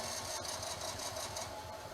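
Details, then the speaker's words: Off-grid generator, second start attempt: quick, even electric starter churning that never fires or catches; cause unknown. Finding: cranks but will not start. "Okay. Yep. Nope. I don't think it's going to work again."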